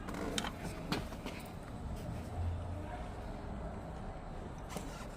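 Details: Ford Transit front door closing: dull slam followed by short loose rattle, engine humming quietly behind; door panel or latch rattling when door is shut.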